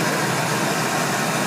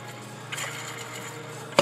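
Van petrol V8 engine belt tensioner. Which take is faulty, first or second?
second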